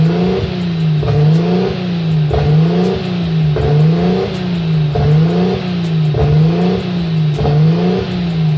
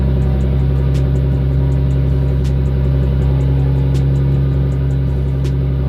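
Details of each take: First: RB25 Neo engine with a high idle: the idle hunts up and down about every 1.3 seconds. Propane tests pointed away from an air leak, and a sensor was suspected; the cause was the throttle plate set too far open. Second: RB25 Neo after closing down the over-open throttle plate: a low, steady idle with an even pulse and no hunting or surging, fixing the high-idle problem. The owner afterward wonders about a possible knock, maybe from being untuned.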